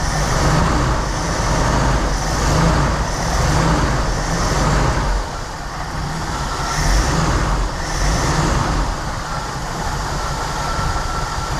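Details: Reportedly a 1988 Jeep Wrangler YJ Sahara 4.2 inline-six, idle mixture screws being adjusted from about 18 inHg vacuum: steady, even low rumble with slight lope, no misses or knocks; running pretty nicely.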